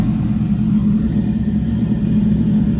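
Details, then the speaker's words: Nissan MR16 10k RPM build, first start; now idling pretty well with good oil pressure and no leaks; steady even low rumble, no knocks or misses; normal idle. "all right we got it idling pretty good got good good oil pressure"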